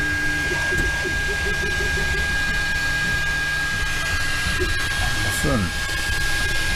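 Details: Anycubic Mega Pro 3D printer while printing: steady low hum, faint high tone, soft stepper chatter, no knocking or rattling; normal operation. Only a slight print-head fan rattle at startup is noted, not present now.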